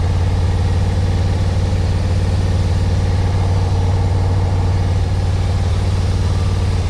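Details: 1991 Yamaha Venture Royale after revival and warm-up, choke off: steady even idle, smooth low rumble, no knocks or stumbles; carbs seemingly not too dirty; normal idle.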